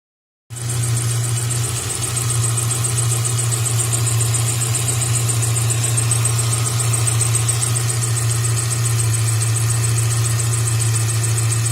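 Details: Subaru Outback at idle before the fix: a pulsing high-pitched chirp from a worn A/C accessory belt and idler pulley, fixed by replacing the belt (Contitech 4PK845) and idler pulley (SKF VKM 68001).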